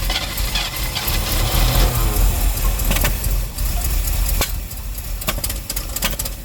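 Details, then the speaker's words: 1957 Chevy V8 running after sitting 35 years: an uneven idle with a loose, wandering beat and some rattle, because the distributor was left loose and the timing is shifting. "I seen what my problem was. Because I left the distributor loose. I've got variable timing."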